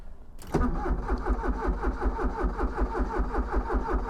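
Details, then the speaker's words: Porsche 944 cranks but won't start after its injectors were refitted. The starter turns steadily at about eighty turns a minute with no firing, though the injectors can be heard clicking. It ran a week ago; cause unconfirmed. "What? I can hear the injectors clicking. It ran one week ago. It just started up and I drove it from there to here, 20 ft away. Not a problem. Now it doesn't want to know again."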